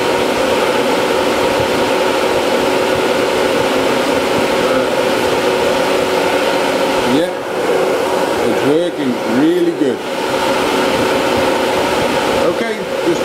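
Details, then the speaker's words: HSD CNC spindle cooling fan, newly replaced after the old one became noisy: smooth, even airy hum with a steady tone and no squeak or stalling; the new fan runs healthy. "so now let's turn the cnc on and see if the van works so you can hear it"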